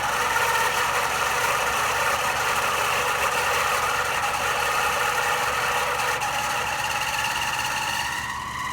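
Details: AC unit running with a steady mid-pitched hum and an uneven knocking throb about three times a second; abnormal running noise.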